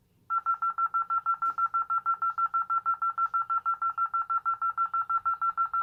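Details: Tyco/ADT Safewatch Pro 3000EN panel, test setup, armed away, entry delay triggered and left to expire; a single high tone pulses fast and steady, about three beeps a second, in a quiet room; panel in burglary alarm.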